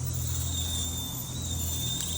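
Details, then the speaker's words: 2018 Toyota 4Runner Limited brake noise before rotor cut and pad replacement: steady high-pitched squeal over low vehicle rumble from worn-out brake pads. "you know customers complain about noise break making noise a little East sound all right this is the noise listen"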